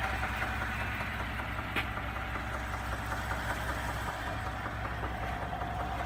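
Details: 2017 Ford F-150 EcoBoost at idle: smooth idle with a soft, fairly regular knock about two to three per second, appearing within minutes of a cold start and within a minute of a warm start; cause unknown.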